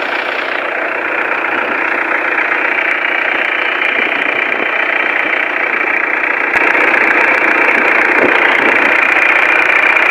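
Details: Mitsubishi Pajero 4M40 diesel after a hard-starting fix with the pump inspected, new glow plugs, nozzle tips and fuel filter: steady, even diesel clatter at idle with a regular beat and no misses; healthy idle.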